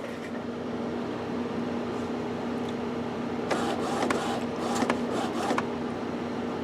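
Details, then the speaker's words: Epson XP-420/320/424 printer with a newly installed continuous ink system, top left open, runs its cartridge check: steady low hum with bursts of quick clicks and whirs as the carriage shuttles back and forth. Air in the hose is expected. "I always leave the top open to watch everything go back and forth make sure I've got good pose travel a little bit of air to get a little bit of there in the hose don't pay any attention that that's actually a good thing"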